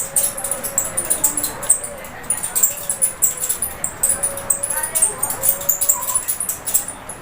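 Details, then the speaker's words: Running ceiling fan, mic held close to the motor, giving short high chirping "choo choo" squeaks at an uneven pace with faint fast ticking above. "आप देख सकते हैं कि इसकी आवाज़ कुछ इस तरह से आ रही है, यानी चूं चूं करके आ रही है।"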